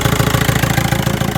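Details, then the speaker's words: VW 1.9 TDI diesel at idle after replacing the alternator overrunning clutch pulley: even clatter with no squeal even while the steering wheel is turned; the power-steering-related whine, caused by the alternator clutch, is gone. "зараз крутимо, ніякого писку немає. Юра, покрути рулем! Писк відсутній."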